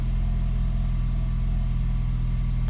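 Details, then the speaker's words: 2021-2025 Ford Bronco 2.3L right after an oil change, started normally once oil has circulated. Smooth, even low idle with no knocks, ticks or misses, and no oil pressure warnings. Normal. "So now that the engine has circulated, I can go ahead and start it as I normally would and make sure that we don't have any oil pressure warnings or anything like that. Everything's looking good."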